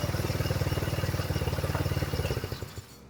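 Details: GY6 scooter after CVT case repair for a terrible noise: quick, even single-cylinder pulsing winding down smoothly as the throttle closes, no grinding or belt slip; drive healthy.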